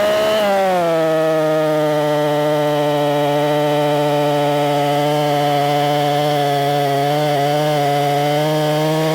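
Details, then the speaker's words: Husqvarna 262XP chainsaw, cleaned and tuned up, cutting wood: strong, steady high-revving drone barely sagging in the cut, clean and even: normal running under load. "I've already got it tuned up pretty darn good she's running good let's do some cutting"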